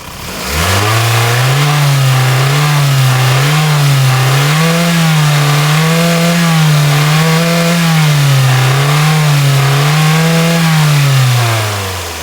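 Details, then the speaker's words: Toyota RAV4 with cable throttle, previously low power: after replacing the fuel pressure regulator, which was letting too much fuel in (dark spark plugs), the engine revs cleanly and freely from idle in repeated smooth sweeps, higher than before. "We can hear the difference in the acceleration. This engine didn't used to rev this high."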